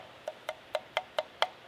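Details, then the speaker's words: Investment-casting crucible, burned out after propane furnace use, tapped by hand: six dull, short taps about a quarter second apart with no ring, a dead clunk. It has a big visible crack. "tunk, tunk, clunk, clunk. Well, it's got a crack in it, big crack right over here."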